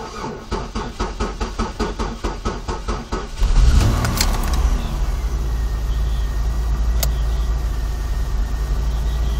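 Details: 2002 Chevy Malibu after sitting for hours; fuel pump, starter, spark, alternator and battery reported good; starter churns about four beats a second for over three seconds before catching and idling, restarts fine once warm, cause unknown. Extended crank before starting.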